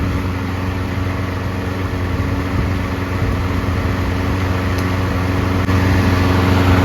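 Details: Single-cylinder lawnmower run 3 to 5 minutes on fresh fuel: an even, steady buzz with no surging or stumbling. Fresh fuel through the circuits has smoothed it out, and it runs smooth.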